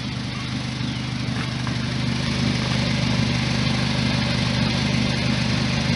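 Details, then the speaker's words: 2006 Suzuki Aerio at idle after a cheap connector-pipe repair of a rusted, cracked exhaust: even steady putter with no sharp ticking or rasp; leaks only slightly, and most exhaust exits the tailpipe. "not too bad doesn't leak a whole lot most of the exhaust is coming out the back end"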